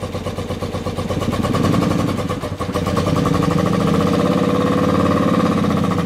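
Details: 1976 BMW R90/6 twin on first ride after rebuild, having sat over 10 years in the desert; steady even throb rising and holding smoothly with throttle, no knocks or rattles: normal running.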